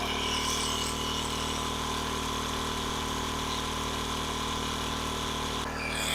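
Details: King Canada 1500 W generator (1200 W rated), Chinese engine, under heavy load from a 1500 W heater on medium: constant governed drone holding steady speed, no hunting or surging; generator running properly.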